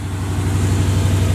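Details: Box Chevy V8 after fixing fully closed cylinders that weren't burning fuel: deep, steady, even burble, no misses or stumbles; healthy smooth idle.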